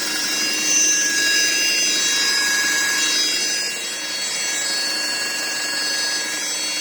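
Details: Audi Q5 2.0L turbo: steady high-pitched whine over the running engine, holding its pitch, coming from the gearbox.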